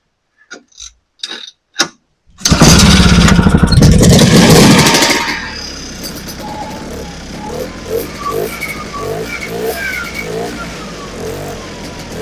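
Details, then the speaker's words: Vintage two-stroke sled with an old cheap carb diaphragm kit, stored since last spring, started on choke: a few pulls, catches and buzzes loudly a few seconds, then fades. Fuel pump works; owner suspects a stuck carburetor needle, and the carb has to come apart. "We got fuel pumping. I think the needle's just stuck in her. Try her again."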